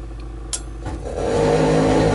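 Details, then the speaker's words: Lennox pulse furnace, not run for a year, igniting on retry after purge blower ran: a loud, steady, low throbbing drone like an outboard motor builds after soft clicks; normal pulse combustion running. "We got ignition. These things are loud as hell. That's why everything is insulated."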